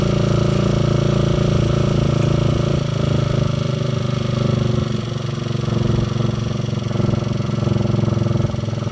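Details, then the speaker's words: Honda XL125 scrambler, kick-started with the fuel on and the air cleaner removed. A single cylinder thumps steadily at a fast idle and picks up cleanly on the throttle, with no misfire: normal running. "you listen to that sounds like a running bike hey"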